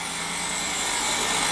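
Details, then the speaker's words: 2006 Ford Escape after a new alternator and belt, charging 14.3 V at 8 A (previously overcharging to 30 V): continuous harsh metallic scraping over the engine hum, like a fan hitting something; the alternator pulley is rubbing on its case. "i don't like the sound though sounds like the fan's hitting something oh what the hell [Applause] yeah i'll pop the belt off see what's see what's not happy this is unbelievable the pulley is basically rubbing the case of the alternator that's ridiculous"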